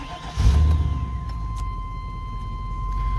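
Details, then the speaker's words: 1998 Chevy Silverado 350 V8 with about 211,583 miles, recently run but still low on temperature: a steady, healthy rumble with good oil pressure and no knocks; an exhaust manifold bolt had broken in the past. "hear that 350 Rumble good oil pressure I just stopped running a just a minute ago so it's kind of low on temp there"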